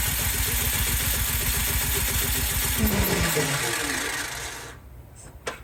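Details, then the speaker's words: Cub Cadet 528 snowblower after carburetor work: starter spins the engine evenly, about four turns a second, with no firing, then stops; the engine switch was found on stop, possibly why. "Let's give it a couple. Oh, it's on stop. Maybe that's why."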